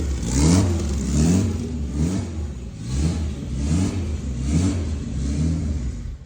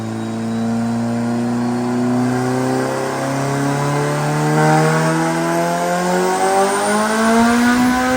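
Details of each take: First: Honda Civic turbo drag build, first fire of the fresh engine after head gasket work: uneven, surging low rumble roughly once a second; runs rough only because the fuel map isn't tuned yet, tuner will work through the map. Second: Turbo Honda Civic drag car after refitting the wastegate with a spring: strong, smooth climb in pitch under load, no stumble or flutter; clean pull with better power band, 10 lb boost at 6,000 rpm, 17 lb at 8,300.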